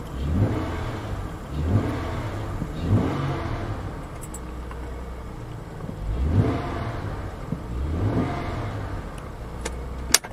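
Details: 2000 Acura 3.2 TL after camshaft and crankshaft position sensor replacement (previously rough idle, P0300/P1399/P0302/P0303 misfire codes): clean revs settle to an even, steady idle with no coughing or stumbling. Normal start and idle.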